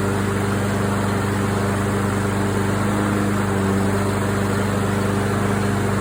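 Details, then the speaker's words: Craftsman AWD walk-behind mower after tune-up with carburetor cleaned and orifices blown through: even, unbroken putter with steady hum, no surging or misfires; engine running cleanly at steady speed, normal. "okay I would call this one success um this one sounds good it's got the right sound to it"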